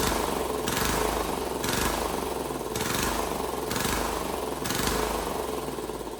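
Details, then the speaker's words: Cheap Chinese diesel swapped into a Wheel Horse 314H tractor, first run after priming fuel following a no-start: small diesel chugging with a hard jackhammer-like beat and a rhythmic swell about once a second; running properly. "I hell yeah man has this thing been a struggle I'm so glad to hear that thing run"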